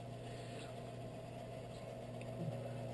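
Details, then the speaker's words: Whitfield pellet stove auger gearmotor after the auger was pulled and its bushings cleaned and lubed, the motor having lagged from sticking before: quiet, steady low hum with no catching or hesitation; now spinning freely at full speed. "Tada it's a little off but you know what I'm fine with that so the motor is spinning at full speed"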